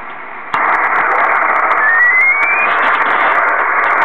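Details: Kenwood TS-2000 HF receiver: quiet hiss on a dummy load jumps to a loud steady roar when the antenna is reconnected, showing the local noise is arriving on the antenna; built-in noise reduction only garbles the audio.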